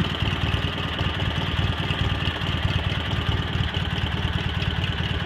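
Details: Cub Cadet 782 garden tractor fitted with 42-inch snowblower: steady low thumping idle with an even, unhurried beat, no knocks or stumbles; normal healthy idle.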